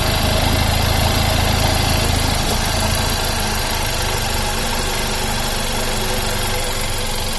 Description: Belt still squeaking at idle. New belt and tensioner